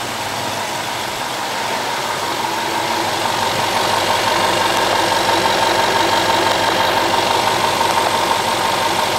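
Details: 2011 Range Rover engine held at raised revs under electrical load (high beams on) during an alternator load test; smooth, even note climbing gradually, no knocks or misses; alternator and battery tested good.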